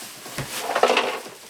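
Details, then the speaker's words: Brief clatter of small hard pieces tumbling inside a National RX-5150 boombox as it is shaken after unboxing; the poorly packed set was dropped and smashed on a corner in shipping, so loose broken parts are suspected, not confirmed. "So, that just doesn't sound good. All right. Um maybe it's maybe it's just marbles. I don't know."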